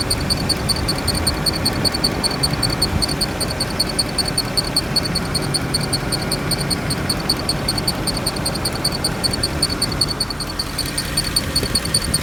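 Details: Mercedes E63 at idle with a thin, high chirp pulsing about two and a half times a second; appears to come from one of the fans, cause unconfirmed.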